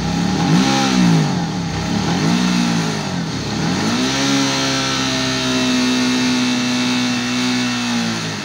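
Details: Suzuki DL 650 V-Strom that falters under hard acceleration: revs rise and sag unevenly, stumbling instead of pulling, as fuel pressure on the gauge drops nearly to zero, worse when hot; fuel starvation from a clogged high-pressure filter in the pump body and a bad filter refill.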